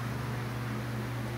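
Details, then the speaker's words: Dayton 1LPN8 AC gear motor, oscillator for an outdoor greens fan, after regreasing gears with marine grease and reassembly: steady low electrical hum with one small click, comes up smoothly, rotating again, fixed; normal running hum. "hear it and yep there it goes it is now rotating again and that fixed it"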